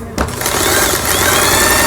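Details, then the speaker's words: Singer 8280 sewing machine after repair, sewing zigzag and quilting stitches: quick even stitching buzz spinning up smoothly with no clunks or binding; normal running. "지그잭 바느질 정상적으로 되고 있습니다. 그 다음에 누빈 바느질 되고 있고요."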